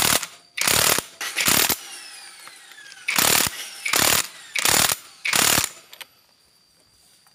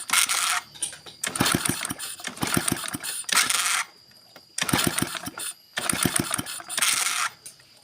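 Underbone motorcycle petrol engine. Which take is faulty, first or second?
second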